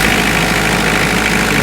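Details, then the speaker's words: Ransomes ride-on cylinder mower with 4-cylinder Kubota diesel engine, starts and fires straight up: steady even diesel idle, smooth rumble with no knocks or misses; normal idle. "It's got the 4-cylinder diesel Kubota engine and it does start and fire straight up."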